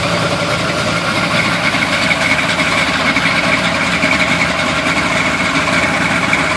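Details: 1971 Chevy Blazer on a cold start: uneven, loping rough idle with a lumpy beat about three or four times a second under a steady hiss.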